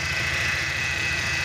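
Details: BMW E46 with N42 petrol engine idling with strong vibration, an uneven low chug and a steady high hiss; the crankcase ventilation separator was found faulty, replacement part awaited.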